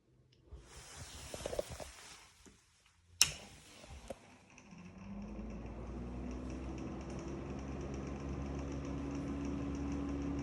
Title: Deta DEX200 exhaust fan (Very Bad bearings)